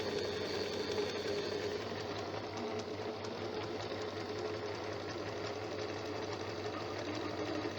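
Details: Janome sewing machine after being serviced for a running noise: a light, even, rapid stitching patter with a soft steady whir and no clatter or grinding. It now runs smooth and quiet.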